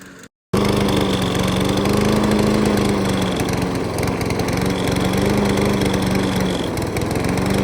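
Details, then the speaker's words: Broken trash-pile push mower running after a carburetor install and a new spark plug. It catches and settles into a steady, even putter at constant speed with no misses; running healthy. "And just like that, she's running. All it took was those 5 steps."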